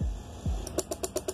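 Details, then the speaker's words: DIY 12V auto cut-off relay battery charger circuit with transformer powered before any battery was connected: rapid even relay chatter, about eight clicks per second; connecting the battery first prevents it. "যদি ব্যাটারির সংযোগ না দিয়ে যদি আপনি শুধুমাত্র পাওয়ার দেন তাহলে কিন্তু সার্কিটটা এরকম শব্দ হবে।"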